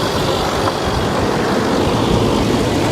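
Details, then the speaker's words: 2010 supercharged 510 hp Land Rover Range Rover idling, heard from several angles with cooling fan on: steady deep idle with only light injector ticking, no chain rattle or supercharger coupler knock; engine sounds healthy. "Wow. I'm trying to make sure I get it from every angle so you guys can hear it. No. Listen to how quiet she is. The cooling fan is on. That's about it."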